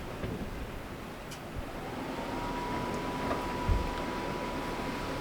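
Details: RV furnace tested by jumping the blue and white thermostat wires: a soft whir spins up to a steady hum under wind and hail; the blower now runs normally.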